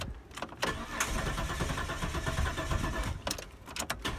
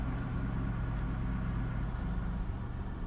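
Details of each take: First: 1998 Holden Commodore Berlina VT, stored five years, fuel pump replaced after no-fuel diagnosis and blowing pump fuse, new fuel: steady starter whir, engine turns over but never fires; crank no start, starter fluid next. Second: 1998 Holden Commodore VT Berlina after five years in storage and fuel pump replacement, running a few minutes: steady, even low rumble with no knocks, ticks or rattles; smooth, healthy normal idle.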